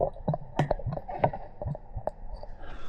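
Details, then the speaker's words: Kawasaki ZX-12R after coolant flush and refill, engine off: hoses squeezed by hand give irregular wet gurgles and bubbly pops as air escapes and coolant level drops; trapped air in cooling system being bled. "It's making little bubble sounds. I'm just gonna like squeeze like this, look. And look, it's gone down some more, so. You can hear it. Glug, glug."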